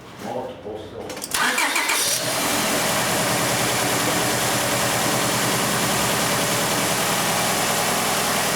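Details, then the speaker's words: 1999 Honda Accord 2.3 L auction car with a really bad misfire, just started for the first time: cranks, catches and settles into a rough, stumbling idle from one dead cylinder; compression later checked, traced to a fuel problem. "I can definitely hear a misfire."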